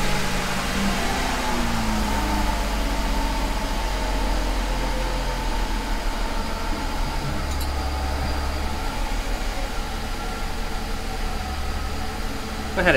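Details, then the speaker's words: 2001 Mercedes S600 after ABC suspension valve block replacement: smooth, steady idle with an even pump hum as the car raises itself. No more leaks, ABC light off, fluid still a little low; suspension raising normally. "we got no more leaks the car raised itself up the ABC light is not currently on"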